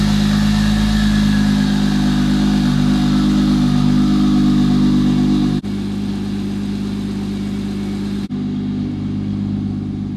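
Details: Single-turbo BMW 335i with JB4, cold first start after sitting 3 months in Canadian snow, in neutral; started without struggle, a little rough at first then smoothing to a steady, even idle; normal cold start idle.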